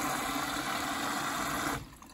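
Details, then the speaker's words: Beko WMB61431W washing machine found abandoned on the kerb, test on short wash, 1400 spin: steady rushing hiss of water filling via the pre-wash side for almost two seconds, then cleanly cuts off; normal fill. "Water's on. Ooh, we're off. It's taking some on the pre-wash side."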